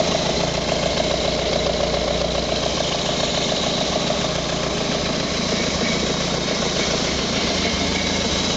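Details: First start of a prepared Renault Colorale Frégate engine: even, steady idle with busy mechanical clatter, no misses or stumbles; running normally.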